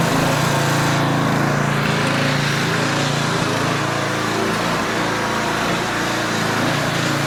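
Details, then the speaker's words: Older Tecumseh 4,000 W generator after main and idle jet adjustment: steady buzzing run with only faint occasional surge, much improved. Output at 55 Hz, so governed speed is low and needs raising. "There's a minor surge time to time. Um, but it's really not all that much. It's significantly better. So the problem is now we are at 55 hertz."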